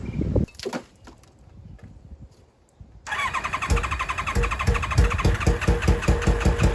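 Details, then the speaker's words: 1995 ZX7 revived after water got into the engine and was flushed with transmission fluid, running with the muffler removed: it catches after a pause, then gives loud, uneven, lumpy exhaust pulses. Rough running, carbs not yet tuned. "All righty. As you guys can hear, it is not sounding amazing."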